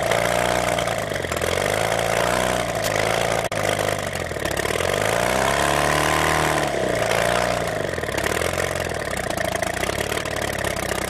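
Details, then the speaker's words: Homemade experimental Bourke engine: steady, even exhaust note swelling and easing with throttle adjustment, no spitting or sputtering; running cleanly, considerably better than last time. "considerably better than it ran last time i saw it ran this time yeah it just didn't sit there and spit and sputter"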